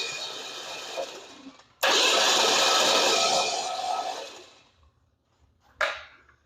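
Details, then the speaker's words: 1947 Ford COE chassis swap with 305 V8 and 700R4, spark plugs out, first turn-over: loud even rushing whir with no compression pulses, spilling transmission fluid; engine cranking freely. "So what I'm going to do is I'm going to fire it up here and show you that it's spinning free, and then we're going to put the plugs back in it"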